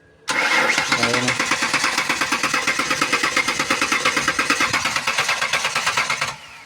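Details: Ford Explorer parked about five years cranking but not starting: starter spins engine steadily for seconds without catching; no fuel or power at the fuses.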